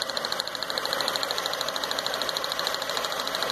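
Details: 2006 Chrysler Stratus 2.0 with misfire, idling: sharp sizzling snaps about two to three times a second over the engine as a spark plug wire arcs.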